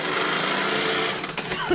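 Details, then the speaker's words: Traxxas X-Maxx RC truck limping back after a diff broke and most 20-tooth spur teeth were destroyed; high rough chainsaw-like grinding buzz while driving, dropping off and sputtering near the end as the stripped spur skips. "that doesn't sound too healthy at all right we're gonna go ahead and Limp this back sounds like a chainsaw"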